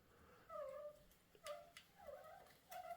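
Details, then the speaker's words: Old rear derailleur on a Chinese carbon cross-country bike, with a bent, loose cage: short, mid-pitched squeaky creaks at irregular intervals in gear from the jockey wheels, which cannot be silenced. "that's the jockey Wheels creaking and I cannot get rid of that noise"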